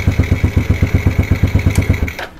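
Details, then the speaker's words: Yamaha Lagenda motorcycle, electric start after starter work: quick, even pulses at roughly ten per second for two seconds, then settles; starter spins the engine freely and it starts easily. "guna jari hidupkan motor. Macam iklan Sempo geng, hanya guna jari. Jadi kita hidupkan je motor ni."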